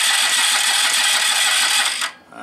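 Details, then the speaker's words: 1986 Yamaha Riva scooter with starting problems: steady high starter whir for two seconds, no firing; cranks but won't start, no spark at the plug, new battery seems to be going low, reed valves opening and closing. "Battery sounds like it's going low. I don't have a battery charger. It was a new battery too. It's not getting sparked to the spark plug."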